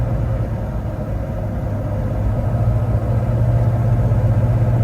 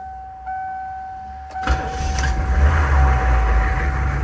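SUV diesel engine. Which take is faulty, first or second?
second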